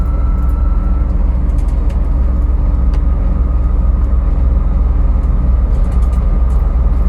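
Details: 2001 Jeep TJ: steady high whine over deep engine rumble, starting randomly, pitch tied to engine RPM.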